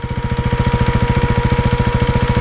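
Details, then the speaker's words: KTM Duke 390 single with pre-muffler delete at idle: even thumping about eleven beats a second with slight valve noise and loud cooling fan whine, considered normal — normal idle. "Slight valve noises, but I think it's pretty normal. I think it sounds sick with that little pre-muffler delete."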